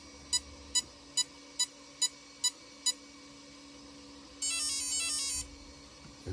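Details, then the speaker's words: Castle 1650 motor ESC on custom 8S Infraction V2 RC car, after replacing suspect 8mm bullet connectors (losing signal, possibly incompatible) with Poseidon bullets: seven evenly spaced short beeps then longer rising tone sequence, normal startup chime. "I'll be damned. Those connectors were either cheap or not compatible with Castle."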